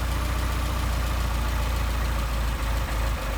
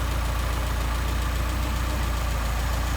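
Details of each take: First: Mercedes 190SL with Solex carburetors: a steady, lumpy low idle that sags and roughens as the idle mixture screw is turned in, leaning the mixture and dropping idle speed. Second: 190SL with Solex carburetors after idle mixture screw adjustment: a low, even idle pulse at about three beats per second with no stumbling. Normal, clean idle.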